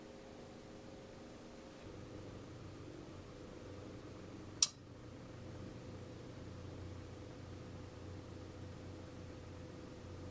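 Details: Vinotemp VT60 wine fridge, about 2 minutes after plugging in: fan hums steadily while sharp relay clicks repeat about every nine seconds; compressor never starts; faulty compressor start relay, fixed by replacing relay (P6R8MC/6R8MG).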